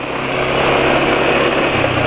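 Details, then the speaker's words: Quiet, smooth idle after switching to Meditran SX Ultra GLE oil; the front-of-engine clatter (kletekan) heard on previous Mesran oil is now gone, normal idle. "senyap ya suara kletekan depan mesin sekarang sudah Hening Ya karena memang sudah pakai satu sgr"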